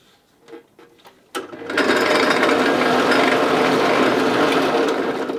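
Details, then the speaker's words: 5-speed bench drill press with belt on a fast pulley step: after a click the motor spins up to a fast steady whir; too fast for large Forstner bits, which need lower speed. "So if you need to change, and you will have to change for different drill bits, so bigger Forstner bits require a lot less speed, and smaller ones will need, or smaller drill bits will need more speed."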